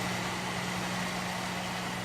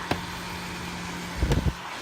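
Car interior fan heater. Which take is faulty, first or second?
first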